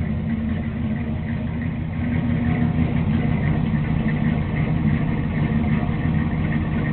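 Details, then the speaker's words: Newly installed motor with a performance cam in a Chevy with a pop trunk, idling: deep uneven lumpy idle at roughly three beats a second, a typical choppy cam lope; the owner says the cam "hit a little bit", a normal cammed idle. "Crank it up. I got a little cam in there. It hit a little bit."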